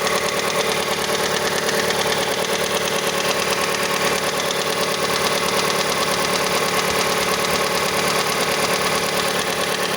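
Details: Mazda CX-5 engine at cold idle: light, fairly quick knocking about two per second over steady idle, present until about 70 degrees; cause unknown, variable valve timing mechanism suspected, not confirmed.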